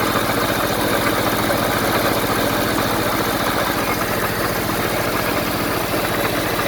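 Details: 1974 Honda Civic series 1, 1.5 L four-cylinder idling after coolant flushing with the pressure tester removed: steady, even idle with a soft regular pulse and no knocks or misses; good compression, sounds healthy.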